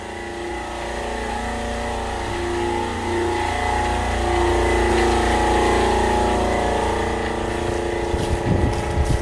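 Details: Fischer Panda diesel generator in a Pursuit 355 OS boat, after reinstalling components to fix the VCS misreading cylinder head temperature, freshly started and not yet hot: steady, even drone at constant speed, no knocks, misses or hunting; pumping water, running smoothly.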